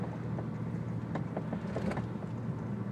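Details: Audi S4 while driving: a few dull, irregular clunks from the driver's side rear over steady road drone; owner suspects a blown shock, rear suspension clunk not confirmed.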